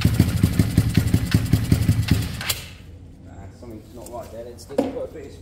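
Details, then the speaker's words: Kawasaki KSR GRS 125 motorcycle, start attempt with airbox fitted, new spark plug and starting spray: slow uneven popping, about two to three firings a second, never picking up before dying. Owner suspects top end, possibly timing skipped a tooth; unconfirmed. "yeah something's gone um not right there and again in the top end like I said uh I worry about the top end"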